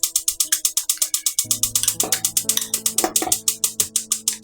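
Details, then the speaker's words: 2026 KZ Durango Gold 366FBQ fifth-wheel RV stove/oven burner being lit: rapid even igniter clicking at several snaps per second until the clicking changes and the flame lights, typically 15–20 seconds; normal igniter clicking. "but the clicking just changed. There we go. You can hear the flames and you can see them down below."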